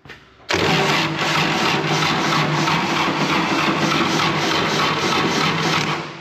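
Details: Wood-Mizer LT70 sawmill engine after sitting for years, with suspected poor battery cable connections: steady rapid starter churning at about three beats a second for six seconds, never catching. Owners suspect it needs fuel bleeding; not confirmed.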